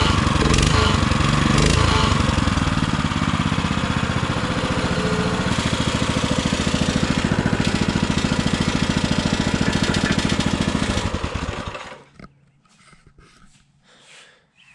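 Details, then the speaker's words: Baja Motorsports Baja Warrior mini bike, running in very cold weather: a loud, raspy, mower-like exhaust popping evenly at a fast idle, then shutting off; it runs smoothly, but the exhaust is to be changed. "also this exhaust sounds terrible it sounds like a lawn mower that's going to have to get that's going to have to change"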